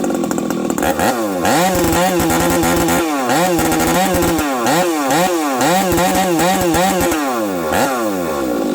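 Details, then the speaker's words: Husqvarna-type 371XP chainsaw run on the bench making cuts after fitting yet another carb: revs surge and sag unevenly, stumbling and dropping beats under load, running worse than before; starts and idles fine but sometimes won't restart, flywheel suggested. "So this is yet another carb. It runs even worse now. What do you guys think? I need your guys' help. You hear that? It's missing."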